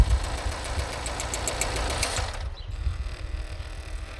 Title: Mini Countryman Engine Knock